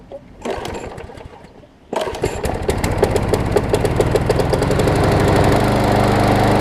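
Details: Briggs & Stratton Quantum engine on a Troy-Bilt push mower, converted from auto choke to a primer bulb. A short pull, then a second pull fires it into a steady even putter that climbs and holds: normal running.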